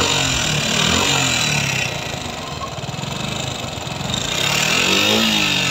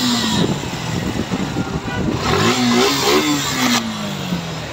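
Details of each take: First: Suzuki Gixxer FI ABS single running: busy, fast top-end ticking over the exhaust note; tappet cover removal found the exhaust valve adjuster far too tight and a rocker arm problem. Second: Suzuki Gixxer Monotone FI ABS after tappet adjustment (intake 0.07 mm, exhaust 0.13 mm), which cured hesitant pickup: revs up cleanly and drops back smoothly without stumbling; sounds healthy.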